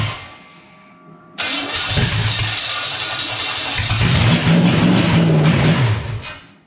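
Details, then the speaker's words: Early-80s G-Body Malibu 305 small-block Chevy 5.0 V8 on a run stand, earlier HEI distributor fitted: catches and runs with uneven lumpy idle that briefly picks up; lean running, pulling extra air through a vacuum leak. "because right now it's pulling air, so you're getting more air than fuel."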